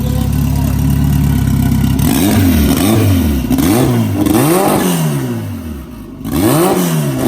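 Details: Big-turbo Honda F20B EG hatch freshly started after new TPS and throttle body refitted; settles at steady idle then several quick clean revs up and down, no knocks or misses; sounds good, normal revving.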